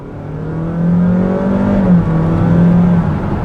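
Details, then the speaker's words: 2022 Honda HR-V hybrid petrol engine under hard acceleration from normal speed during test drive: loud, steady droning note holding high revs as the car pulls, smooth with no knocks or rattles; engine screams but normal hybrid behaviour. "i mean i just push the accelerator and the engine screams"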